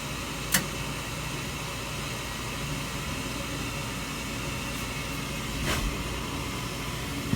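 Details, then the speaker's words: Slant-Fin VSPH-120 boiler, after the thermostat calls for heat: a quiet steady hum for seven seconds, then a soft whoosh as the burner lights cleanly, a normal ignition. "I believe when you hear the buzzing of course maybe it's maybe it's just the igniter trying to uh ignite the Flames to shoot out"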